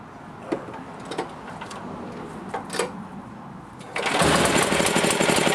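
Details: Honda-clone generator after repairing a broken intake valve stud: a few recoil pulls, then the small single fires and settles into a steady, even rapid putter with no stumbling.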